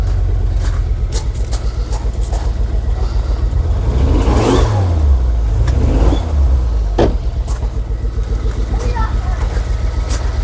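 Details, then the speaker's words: Ford Focus ST225 started for the first time in over a year: deep hum lumps and wavers at an uneven idle with occasional stumbles, sounding like a bad water pump. Rough running; the head is to come off for investigation. "it is not running happy at all sounds like a bloody water pump"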